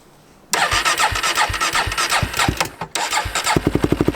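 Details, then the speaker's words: 2005 Polaris Predator 500 sport quad, new exhaust, choke on, run two hours earlier: several cranking chuffs, catches, stumbles briefly, then settles into quick even firing pulses; a cold-blooded single starting normally. "So you will need to choke it. It's a little cold-blooded, but I just ran it about 2 hours ago, so it shouldn't be too bad."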